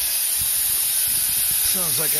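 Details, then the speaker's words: New Quincy QT-54 single-phase 220V two-stage air compressor at about 165 psi, valve opened: loud steady high-pitched hiss; big leak from a flow-direction fitting installed backwards. "I can hear it's not a big one but it's leaking"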